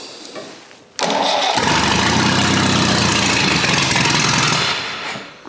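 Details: Old Rusty four-cylinder, cold start at about 2°C with choke on, after correcting the firing order to 1-3-4-2 but before adjusting the ignition timing: a quick start into a fast, loud, somewhat uneven chuffing run, rough from the timing not yet set.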